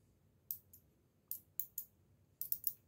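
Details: Car relay with its coil (terminals 85/86) fed from 12 V battery leads: sharp, clean clicks in small pairs as the coil is energised and released, over a quiet background; relay clicking normally.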